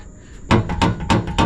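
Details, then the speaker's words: Four heavy hollow clunks about a third of a second apart as the part is rocked by hand on a K24-swapped Porsche 911; a loose piece inside the rear bumper is knocking, likely from having fallen out from its slot in the bumper. "Oh, that's a clunking noise. >> Hey, want to hear the most annoying sound in the world. Okay, that's the noise I heard, boys."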